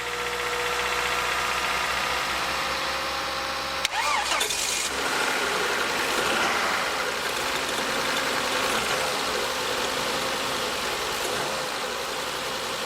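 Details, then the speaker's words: Car with a flat battery on a cold winter morning, jump-started with leads after the donor car ran at about 1,500 rpm for a couple of minutes. It catches after a brief crank and settles into a steady, even idle. "there's a big sigh of relief at last you're started"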